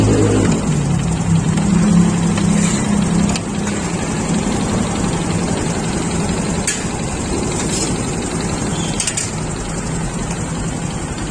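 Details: Honda Supra X motorcycle idling with a dull steady tak-tak knock heard at the centre front of the cylinder.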